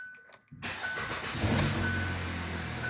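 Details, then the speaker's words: Hyundai Tucson restarted after head gasket work with full head bolt set, cooling system filled with distilled water, codes cleared; catches first crank and settles to steady even idle, no misfire or check light: normal engine start. "Start it right up this time and no misfires at all. And you can see our check engine light did not come back right away. That's good. It actually feels like it's running pretty smooth. Engine sounds good."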